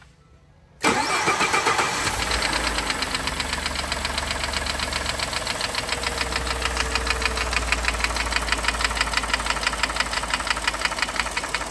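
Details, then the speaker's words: Ford F-150 3.5L EcoBoost at idle after start, power balance and compression good: sharp regular knock about three per second, loudest on cylinder one (pinpointed by stethoscope), other bank normal; piston slap. "sounds real loud on cylinder one right here I use this stethoscope and I could definitely pinpoint cylinder one this side sounds perfectly normal this side's definitely not though"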